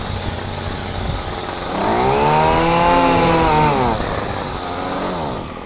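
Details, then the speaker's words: Champion string trimmer, small two-stroke found with its choke missing: catches on primed fuel, revs up right away for a couple of seconds, then sags and dies; runs only on primed fuel then stalls for lack of a choke. "But listen, it revs up right away. And there goes the die."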